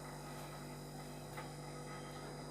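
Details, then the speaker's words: LG fridge compressor running during second charge of pure refrigerant, gas let in slowly after leak testing: quiet, steady low hum with constant tone and no knocking; sound changes as it takes gas, normal. "ফ্রিজের শব্দ বুঝতে পারবেন। Gas নিলে আওয়াজটা change হয়ে যাবে। আওয়াজ তো নিশ্চয়ই শুনতে পাচ্ছেন।"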